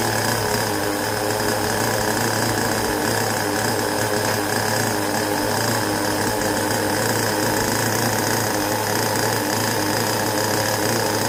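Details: Carson Storm Racer Pro .15 two-stroke nitro engine in a 1/10 buggy, first run after 10+ idle years and a full rebuild and bench tune, on 20% nitro fuel: a high, buzzy drone holding steady pitch without sputtering. Runs clean and healthy.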